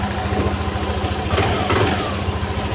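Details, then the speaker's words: Yamaha fuel-injected motorcycle started with the fuel pump powered from a manual scanner/diagnostic tool; steady even idle with smooth low putter, no stumbles or surging, engine runs normally. "Oke, kita hidupkan motor. Nah, motor kan hidup. Oke, motor sudah hidup."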